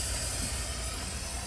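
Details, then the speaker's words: A buried copper water pipe elbow fitting has burst, giving a steady rushing hiss with low rumble as pressurized water sprays out. It had apparently leaked for over a month and more than doubled the water bill. "지금 보시면 치익 소리 들리시죠? 예. 지금 물이 저 정도 새고 있다는 건 좀 엄청 쏟아진 거죠."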